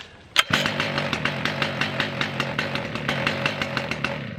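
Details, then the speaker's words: Stihl MS 881 Magnum chainsaw, warm restart: one sharp pull fires it at once, then a steady two-stroke idle with regular pops; starts on one pull every time; normal starting and running. "so yeah if you still wander and steel is way easier to start when it's cold and easier to start when it's uh hot"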